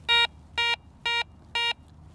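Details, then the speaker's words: Ace 300 treasure and coin metal detector: four identical short mid-pitched beeps about half a second apart from a piece of aluminum foil, target ID in the high 30s, a normal mid-tone response. "Here's a piece of aluminum foil that you'd find in a park like this all the time. High 30s, more of a mid-tone."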